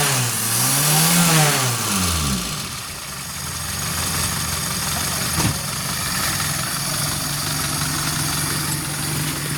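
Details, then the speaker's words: Suzuki Forsa after the spark plugs were replaced and cleaned and the carburetor cleaned: engine revs up and falls back cleanly, then settles into an even, steady idle with no misses or roughness. "Beda banget kan, Lur? Setelah kita ganti businya, kita bersihkan businya, kemudian kita bersihkan karburatornya. Suaranya sudah los banget, Lur."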